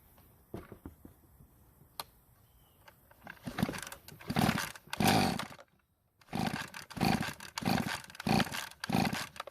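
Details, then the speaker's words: Poulan Pro trimmer that would not start, run on fuel poured into the carburetor throat: small two-stroke catches, surges unevenly for a few seconds and dies; carburetor screen suspected clogged, compression test planned next. "I didn't really like the way the engine ran the first time so let's try that again"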